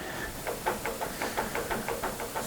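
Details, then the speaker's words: Harrison M300 13x40 metal lathe, not running, spindle turned slowly by hand in neutral during pre-purchase inspection: soft, even light gear rolling clicks from headstock, no clunks, grinding or hard spots; spindle spins freely, gearbox healthy. "I can hear the gears rolling just a little bit in there, not too bad though. No clunkiness, no grinding, no hard spots. The spindle spins freely, so that's good."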